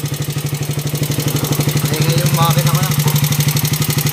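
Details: Raider 150 motorcycle engine that became noisy: it idles with a steady beat of about three pulses a second and a dry clatter on top, pointing to a worn camshaft and tappet shims. The noise was quieted without replacing any parts.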